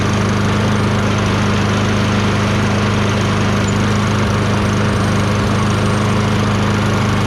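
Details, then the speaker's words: Toro Recycler 22" self-propelled mower, Tecumseh 6.5HP engine, after carb cleaning with a tiny, possibly clogged jet cleared using a thin wire bristle: loud, steady single-cylinder drone without surging or stumbling, running much better now. "Okay, runs much better now."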